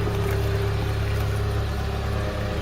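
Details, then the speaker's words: Classic car, after exhaust fixed: steady, deep idle with even low exhaust note, no blowing or rattling; exhaust now sounds sound. "sounding better with that exhaust being fixed"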